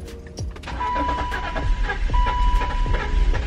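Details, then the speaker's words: BMW X5 at key-on, listening for the fuel pump: a thin steady whine near one kilohertz for a few seconds over background noise; the fuel pump appears to prime normally. "alright guys so I think the fill pump is good"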